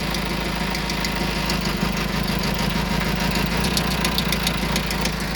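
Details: Vauxhall Vivaro 1.9 diesel idling with a deep rumble and a sharp engine knock repeating roughly three times a second.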